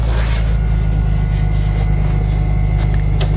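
Deep, steady low rumble with an even beat and no misses or knocks; engine running smoothly after a cold start.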